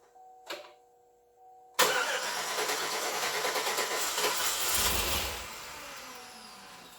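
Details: 2008 Suburban, first start of its new engine: a clicking is heard beforehand, then the engine catches sharply after a short crank, runs ragged a few seconds, then sags and dies; starts but won't keep running, cause unknown.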